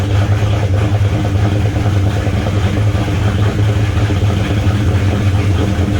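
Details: V8 with a fairly big cam and raspy exhaust, idling cold before being moved: deep choppy exhaust with uneven rolling lope; normal lopey idle.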